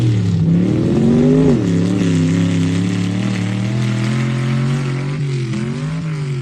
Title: Misfire chinle az